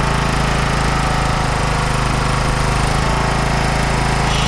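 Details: 1993 John Deere LX172 lawn tractor, 14hp Kawasaki FC420V twin, started with a jump pack on initial test run: steady, fast, even thump with no hunting or stumbling, pace unchanged throughout; running normally.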